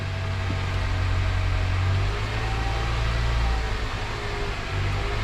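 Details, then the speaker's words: 2007 Honda Accord 2.4 idling cold around 1500 rpm after new O2 sensor installed for misfire code; smooth even hum, no stumble or miss; normal idle, no codes stored, code no longer returns immediately. "Looks like it's idling pretty good right now. It's cold, 1500. so it's a little bit fast idle."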